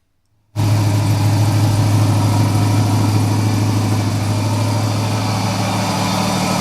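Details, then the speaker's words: Joe's 1969 Camaro V8 on Holley Terminator X base tune, second crank after full oil prime, starter needs shimming: starts and holds a fast, steady elevated idle; idle air control valve stuck open. "you could hear it changed the way the sound, the air going into the throttle body was. So the IAC is stuck open."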